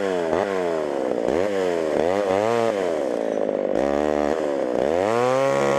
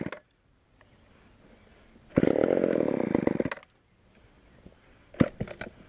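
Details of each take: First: Homelite Super XL chainsaw with 20-inch bar, old auction saw, chain probably needing sharpening: strong, even two-stroke buzz that sags as the chain bites and climbs between cuts; runs fine under cutting load. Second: Homelite Super XL chainsaw on first start with secondhand non-ethanol fuel: it fires in short uneven bursts, stumbles and dies, then runs rough and hunting. Lean low-speed mixture; carburetor needs adjusting, or the diaphragm may soften.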